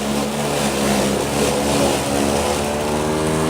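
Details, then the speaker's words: Two-year-old Black & Decker battery self-propelled mower with a weak, worn original battery, in tall, dense grass in the back: motor hum under load sags and drops low, just barely running; tired battery losing power. "well I made it through that pass it's just barely running right now but the grass is really tall too and it's really thick"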